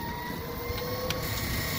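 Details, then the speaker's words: 1998 Club Car DS golf cart on final test ride after silicone on the transaxle splines and heavy-duty oil stabilizer in the differential: smooth, steady motor hum with faint tyre noise, no clunks or gear rattle; formerly noisy rear end now quiet. "well we're on our final test ride and I think we may have whooped it it is so quiet we can't believe it cannot believe how quiet that is"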